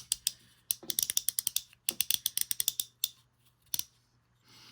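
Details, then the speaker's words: Quick bursts of crisp evenly spaced ticks, about a dozen a second, from an Airex (Lionel) Vagabond Model 1 spinning reel during reassembly after cleaning and oiling the anti-reverse; main gear dropped in, anti-reverse clicking normally. "this is where we should be able to tell if we've got got the anti-reverse working there we go you can hear it"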